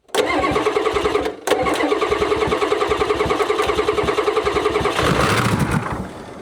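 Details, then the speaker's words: 1994 Ford F-Super Duty diesel dump truck that sat for years; injector lines cracked, and diesel is reaching them. Even starter beat about three and a half pulses a second with no firing; long crank, no start, possibly lost prime. "She may have lost her prime."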